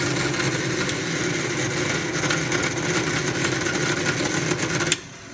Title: KitchenAid artisan stand mixer grinding noise